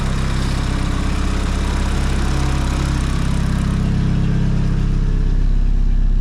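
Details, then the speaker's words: Nissan S15 SR20 with Garrett T28 turbo, idling after turbo/exhaust manifold gasket replacement and plate locks following boost leak: deep, steady, quiet idle with no ticking or puffing; exhaust leak fixed, normal. "Finally, no more exhaust leak. So, I'm normal again, chill, quiet."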